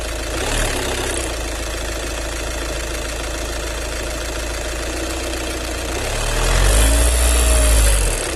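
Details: VW 2.0 TDI common-rail diesel idling with rhythmic ticking about two per second over a deep rumble, rising briefly when revved; strange noise suspected from the fuel pump, cause unknown.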